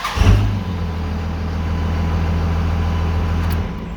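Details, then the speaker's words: 2001 Dodge Ram 5.9L Cummins 24-valve diesel with VP44 pump, checked for crank-no-start: cranks briefly, catches quickly and settles into steady, even low idle with no misses or knocks; starts immediately, repeatedly started and driven without issues. Normal start and idle. "i've started this thing up several times i've driven it and all that stuff and we don't have any issues going on"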